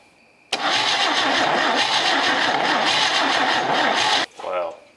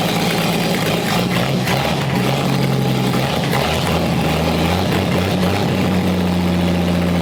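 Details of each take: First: Chevy 250 straight-six from a 1964 C10, long parked, on a compression test: starter spins fast and even with no pulses or resistance, no firing; cylinder shows no compression, other cylinders tested next. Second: Chevy 250 straight-six out of a 1964 C10, crankcase full of ATF and no cooling system, starter wired unconventionally: steady, even low idle with no knocks or misses after its first successful run.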